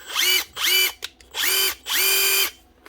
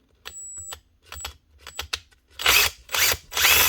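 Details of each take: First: Makita DTD154 impact driver after replacing the failed front needle bearing and gearbox housing, tested before chuck rebuild: four trigger bursts spinning up to a clean high whir, no grinding or rattle; running normally. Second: Makita DTD154 impact driver, short trigger bursts: harsh, gritty, rattling whir; armature and gears okay but rubbing, traced to failed front needle bearing in gearbox housing, replaced as the fix.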